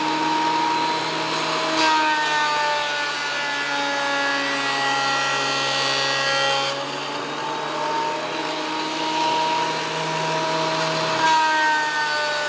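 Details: WEN PL1326 15-amp 13-inch spiral benchtop thickness planer, after repair of misuse damage (replacement knives and bevel gear set used): even motor hum, cutter note dipping slightly as each pass of a bigger board feeds through and recovering cleanly; cutting normally, within 0.002 in thickness.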